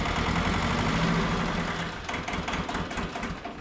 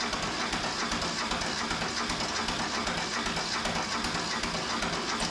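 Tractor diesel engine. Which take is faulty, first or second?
second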